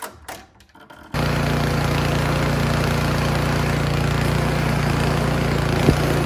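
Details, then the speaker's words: Troy-Bilt Storm 2410 snowblower that would not start, run on full choke after cleaning the carburetor clogged by old, varnished brown gas; brief clatter, then a steady even chug with no surging or misfires; running normally. "all right it's running great so gas was old but just not old enough to do any major uh Carnage on that carburetor"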